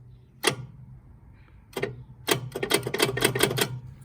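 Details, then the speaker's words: Sykes GP80 water pump with Lister TR1 diesel on a small battery, key turned to start: two sharp clicks, then rapid clicking, but the engine never turns over; the starter solenoid engages on a broken starter motor. "well that sounds like the solenoid on the starter but nothing else"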